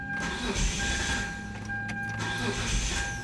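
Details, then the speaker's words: 2001 Mitsubishi Eclipse Spyder GT 3.0 V6, diagnosed with a failed fuel pump: the starter churns steadily with only a faint catch, probably from residual fuel in the rail, and it never fires. Crank, no start from the failed fuel pump. "trying to start probably a little bit of residual uh fuel in a rail having a connection problem with the battery not being hooked up right but as you can see it did not start"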